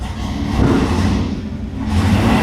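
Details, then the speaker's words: Chevrolet Camaro IROC-Z, 18,000 original miles, abandoned 30 years, running after injector installation: V8 catches and settles into a lumpy, throaty, cammed-sounding idle with light revs, deep and even with no knocks or misses. "But it sounds good. >> It does sound good. Sounds like it's cammed."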